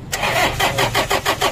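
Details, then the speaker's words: 2013 Toyota Innova 2KD diesel, manual: the starter churns with even compression beats but the engine never catches, crank no start; the mechanic believes the crankshaft position sensor is faulty, signal too weak. "Pero tingin ko Crank sh sensor talaga Wala sira yon"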